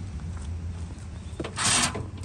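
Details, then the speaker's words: Toro TimeCutter mower that shuts off when handles move or blades engage: faint hum then sharp clicks as the key turns, both electric brakes releasing properly; brake control module working, seat safety switch suspected. "can actually hear the brake release both sides"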